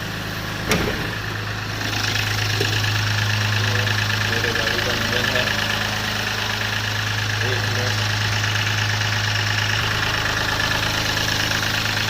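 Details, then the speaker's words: Mahindra Bolero diesel engine at steady idle with irregular light tapping over the usual clatter; owner reports a new engine noise, cause unclear, may need a dealer visit. Abnormal engine noise. "यह मेरे गाड़ी का engine है जैसे आप लोग कितना गंदा है आवाज़ में थोड़ा कुछ प्रॉब्लम ए रहा है इसमें"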